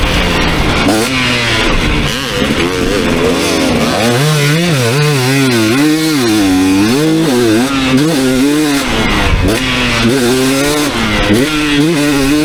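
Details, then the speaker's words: 2019 KTM 250SX two-stroke, Lectron Billetron 38 Pro carb, on track after torque jet opened half a turn: clean revs, no pinging under load, a little burbly in spots; slightly rich, no detonation, owner turns it back in a quarter turn. "all right so no detonation that time zero pinging but uh it did feel a little bit blurby in some areas"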